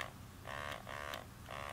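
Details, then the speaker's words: Eppendorf Easypet pipettor, button pressed: short bursts of a strong, deep buzzing growl, the normal sound of the pump motor when connected; a faulty unit with the pump disconnected instead gives a weak, higher-pitched low-volume whir. "if yours has a similar problem of when you push the buttons you don't get that this is what it should sound like very good deep growl"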